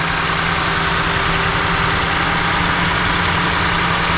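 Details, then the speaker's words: Ford F150 EcoBoost after fuel injector replacement, with the intake manifold and fuel rails removed and refitted: a steady, even, smooth idle with no misses or knocks; still running rich while raw fuel burns off from the exhaust. "Yeah, she's running rich. Sounds good. It's running smooth. I mean, really smooth."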